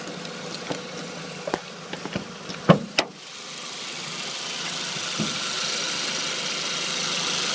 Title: B6 a4, gt2871r elim, bird chirping noise from engine bay, best heard through wheel wells.